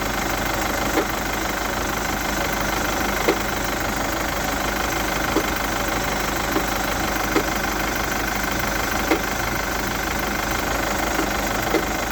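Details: Chevrolet Captiva 2.2 diesel at idle with a sharp knock about every couple of seconds over the clatter; engine knock at idle, owner suspects the timing chain mechanism/components, not confirmed.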